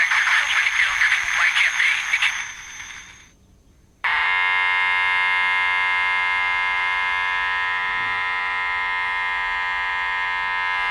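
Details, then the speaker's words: Houthitone transistor radio under repair: after a short burst, a harsh, steady buzzing tone comes through the speaker as the audio stage motorboats. Putting a 22k resistor from collector to base on the first audio transistor cuts the gain enough to stop it. Distorted buzzing audio. "it kills enough gain on that first audio transistor to where it stops motor boating"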